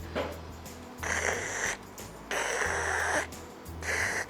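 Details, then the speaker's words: Harley-Davidson Evolution chopper front brake rotor checked for chattering brakes by spinning the wheel against a center punch on Dychem: light scraping swells and fades about every 1.5 seconds instead of constant contact, showing the rotor is warped. "which means the rotor's coming into contact with the center punch and then leaving. Ideally, it should have a consistent contact sound all the way around, which means the rotor is flat, perfectly flat."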